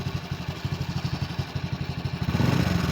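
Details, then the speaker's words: Old Honda Supra X motorcycle with noisy engine and oil leaks, including the magneto seal, just started, before teardown. Rough idle with a fast, uneven clatter about four times a second over the engine beat: timing chain rattle. "Ya, memang sangat berisik. Oke, teman-teman. Setelah saya menyalakan mesin, memang mesinnya berisik,"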